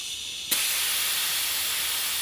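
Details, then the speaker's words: Segway GT2 rear tire being inflated after replacement: sharp single pop as the bead snaps onto the rim, then steady air hiss, showing it is seated and sealed; target pressure about 50–56 PSI. "You want to beat it in like that. That's how you know it's nicely sealed when you hear it pop."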